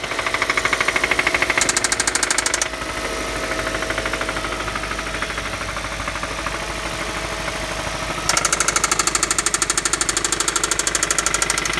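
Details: Idling engine with a spun rod bearing on cylinder 1: steady, sharp rod knock at about three per second.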